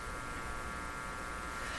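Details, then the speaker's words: GE 913-D tube clock radio on an isolation transformer, amplifier input open-circuited: steady, even hiss-buzz with a faint hum underneath; normal antenna pickup noise from the unterminated input, silent when shorted. "Okay, so it's open circuited right now, so we'd expect to hear the audio antenna sound. I don't know what to call it."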